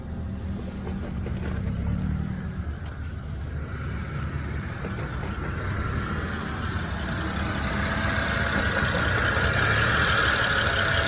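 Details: BMW E90 with manual clutch, engine warmed up, accessories off: rough idle with an irregular clack about four a second, coming and going, only with clutch pedal released (not when pressed in), sometimes gone with A/C on; throwout bearing suggested by others, cause unconfirmed.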